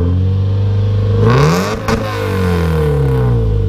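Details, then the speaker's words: Nissan S14 240SX engine on stock ECU, started after compression check, climbs smoothly to a sharp rev and drops back evenly with no knocks, misses or rattles; healthy. "that's healthy smells like a jet ski that is [ __ ] almost like a jet yeah that's sound dude"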